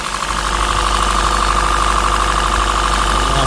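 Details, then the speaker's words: 2014 Honda Grace Hybrid at idle with misfire and codes including ECM serial com failure (P0600): loud for a hybrid, uneven stumbling beat about three per second over a steady whine; misfire, cause not yet found. "Okay, so this vehicle is sounding really loud for a hybrid. I'm not sure exactly what's going on."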